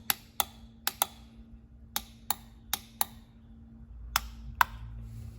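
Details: Ford E4OD/4R100 solenoid pack on a bench mechanical test, each solenoid switched on and off: crisp single clicks, about ten in five seconds, over a faint hum; the check balls seat and unseat, and the solenoids snap cleanly and work normally.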